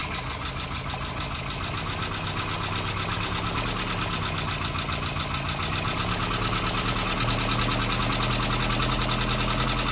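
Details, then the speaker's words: Suzuki Samurai engine being rebuilt, new fuel pump fitted: uneven idle with fast, regular light ticking over the engine note; runs poorly because of the rockers, which still need adjusting. "maintenant quand je démarre va il tourne mal à cause des culbuteurs"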